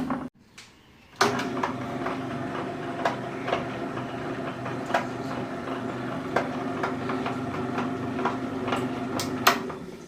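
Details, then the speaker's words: Table-top wet grinder after ball bearing (6004) replacement with white grease packed in: motor starts and settles into an even smooth hum with only occasional light taps; the earlier loud noise is gone, normal running. "இப்போ ஸ்மூத்தா ஓட்டு பாருங்க முதல்ல ஒரே சத்தமா இருந்தது இப்ப அந்த சத்தம் கிடையாது இப்ப ஸ்மூத்தா இருக்குது"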